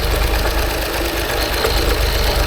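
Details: 2016 Land Rover Range Rover Sport with a crank/no-start complaint: a rough, uneven idle with heavy low thumps and rattling mechanical knocks. It has compression only on bank 1, so it runs on one bank, and internal damage still needs investigating.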